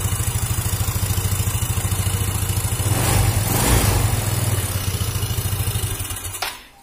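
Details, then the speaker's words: Yamaha Xeon GT 125 scooter, just after cleaning the ISC and refitting the throttle body without a diagnostic-tool reset: single fires fast and steady, well above normal idle, then shuts off; high idle from unreset ISC. "Hai ini pemirsa ini rpm nya begitu biasanya dibersihkan itu rpm nya langsung tinggi tidak seperti tadi"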